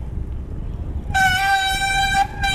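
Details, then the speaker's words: Mountain bike disc brake being bedded in while riding in a low gear after the rotor was treated against squeal. A steady, high-pitched squeal drops out and returns, fading as lever pressure increases; squeal during bed-in. "Start applying pressure and pedal. And as the squealing starts to go away, you'll want to increase the pressure on the brake lever."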